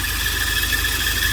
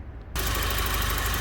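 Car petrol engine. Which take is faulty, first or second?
first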